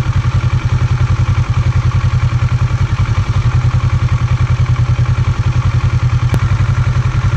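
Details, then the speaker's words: Kawasaki Versys 650, warm, with idle raised from about 1,100–1,200 rpm to around 1,300 rpm, gives an even, rapid thrum with only slight speed variation. It is idling normally. "é tá aí vocês viram que não é 100% estável ela varia né mas tá dando aí em meados de 1.300 às vezes um pouquinho mais às vezes um pouquinho menos"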